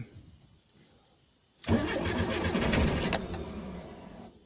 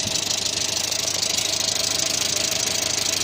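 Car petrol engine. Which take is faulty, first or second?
first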